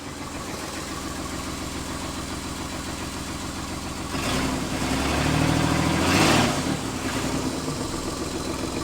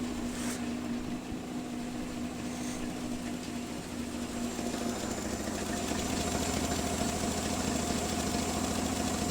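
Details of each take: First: Nissan Z31 V6 idling after reconnecting ignition during a coolant pressure test: uneven, lumpy idle stumbling through a throttle blip; misfire caused by spark plug wires 4 and 6 being swapped. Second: Nissan Z31 engine at a not-yet-warm idle after the coil wire was refitted, now running much better during compression leak and coolant pressure testing for a failed coolant pressure test; even, settled idle with smooth steady hum, no knocks or misses; normal idle.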